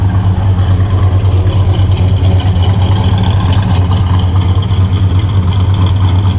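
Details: 1964 Chevrolet Chevelle Malibu, 350 V8, 4-speed manual: deep even idle with steady low rumble, no knocks or misses; healthy.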